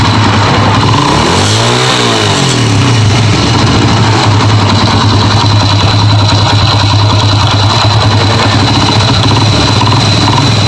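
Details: Honda Grand single-cylinder motorcycle at idle with one throttle blip: coarse, uneven mechanical rumble under the exhaust from inside the engine; customer brought replacement internal parts, cause suspected but not yet confirmed.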